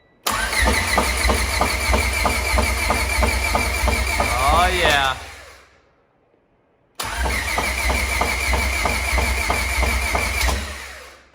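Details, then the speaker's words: High-compression B20 engine freshly swapped into an EJ1 EG Civic coupe, cranked without the computer plugged in to build oil pressure: two bursts of quick, even cranking that stop cleanly without firing. It turns over freely and healthy. "we just want to build a little bit of oil pressure and then once we're confident this thing's turning over smooth and we're building some pressure we're gonna plug the computer in and start it for real"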